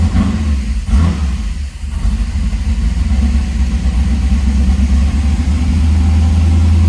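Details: 1978 Trans Am SE with LSX/LS6 swap and FiTech, restarted after adding ATF to transmission, tach and oil pressure gauge working: strong low V8 rumble, smooth even idle with a clean rev blip, no knock or tick; healthy engine.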